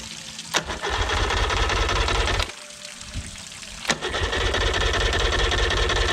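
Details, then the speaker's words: 1989 Yamaha 30 hp two-stroke outboard, first start after exhaust gasket/seal repair: two bursts of rapid, steady cranking, about three beats a second, turning over but never catching; the idle was off, so no fuel getting through. "The actual idle was off, so I wasn't getting any gas."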